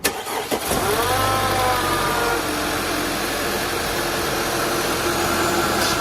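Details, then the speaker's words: 2015 Audi B8.5 A4 allroad Avant turbo just fitted with a CTS intake, cold start. It catches instantly with a rising turbo spool whistle during the cold-start flare, then settles to a steady idle with no rattling. "Uh, that was a cold start. That's why you can hear the turbo spool up. But now it's idled down and no rattling."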